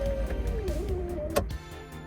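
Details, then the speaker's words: 1986 Trans Am rear hatch pull-down motor after repair: small motor whines, pitch sagging slightly as it pulls the hatch closed, then a sharp click and stop; closes and latches normally. "open, it comes back up to its upright position, and when you close it down again, as you can see, it slowly pulls itself closed until you hear that click, and then you know it's all the way down. That's working pretty good."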